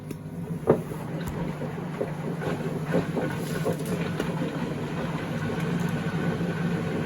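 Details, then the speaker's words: 2012 Beko WMD261 washing machine on spin-and-drain function test: drain pump gives a steady low hum with light sloshing and drains fine; normal drain pump operation, though it sounds like undissolved tabs are washing around. "We're going to press go. Pump runs, drains fine."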